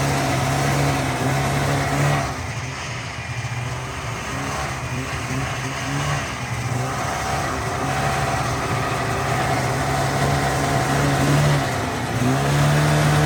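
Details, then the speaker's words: 1985 Yamaha XL-V 540 race-build sled, two-stroke, warm, 0.6 in lug track lacking traction on snow: crisp buzz climbing cleanly with throttle and settling back, steady with no misses; owner says it idles perfect on current jetting; normal revving. "Yeah, if I had traction, this thing would be really quick."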